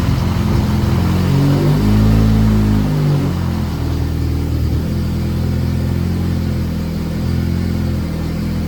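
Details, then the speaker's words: Honda 9th gen Civic Si after swapping blown K24Z7 for junkyard K24Z3, knock sensors changed, first startup after fuel priming; brief uneven rev then steady even idle, no knock or tick; slight smoke, believed oily downpipe; normal idle. "All right, it's running. It's smoking a little bit. It's cuz the downpipe got all oily, I'm pretty sure. So, started right up. Hesitated a little bit in the beginning, but other than that, everything sounds good."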